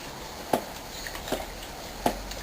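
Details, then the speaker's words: Motorcycle rocked with the front brake held. Three sharp single clunks about a second apart come from play between the steering stem and triple tree. Worn or loosened steering head bearings from wear and repeated fork shocks. "il ya du jeu ça claque entre la colonne de direction du calme et la colonne de direction du thé"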